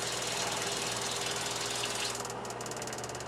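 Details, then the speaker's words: New Surflo 4008 Revolution water pump in a camper, replacing an old 1997 low-pressure pump: low, steady, even hum under running water, no knock or surging; the new pump runs surprisingly quietly with good pressure. "this pump is working a new pump is really quiet surprising"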